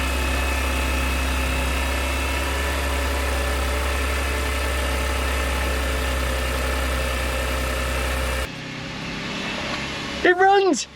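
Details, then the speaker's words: Audi S4 3.0T after walnut-blast valve cleaning, valve cover gasket, PCV, water pump and supercharger reinstall, coolant not yet bled: steady even idle with low hum and faint whine, owner unsure if supercharger; no knocks or misses. "almost sounds smooth there's no cool in there that's good"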